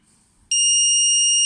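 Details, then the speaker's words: Homemade voltage safety circuit prototype under test: voltage raised from 350 V, it trips at 360 V and cuts the supply, sounding a sudden loud continuous high-pitched buzz that holds steady; overvoltage trip alarm, circuit working. "a 360 è scattato quindi il circuito funziona perfettamente a parte questo rumore molto bene"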